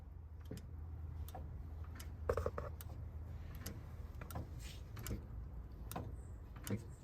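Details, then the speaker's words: Vermeer BC1500 clutch switch, actuator adjusted to just touch it without damaging it; faint crisp ticks over low background hum as it actuates, clicking cleanly and working normally. "So it's touching it perfect, and it's not in any way gonna damage our switch at that position."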